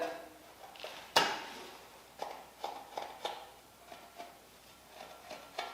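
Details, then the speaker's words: Smog 305 small-block Chevy teardown: a ball hone passing the top of the bore gives sharp, irregular clacks about every half second as it catches a heavy worn ring ridge, the worst the owner has heard. "Yeah, gnarliest ring wrench I've ever heard. And this was just a little bit dirty. Got a little bit of ring wrench, but not much."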